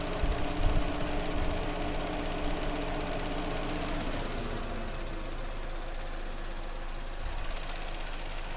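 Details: Vauxhall Astra that had a misfire from arcing at cylinder 2, after the coil pack was replaced: low, steady idle with an even beat and no dropped pulses. All cylinders fire cleanly.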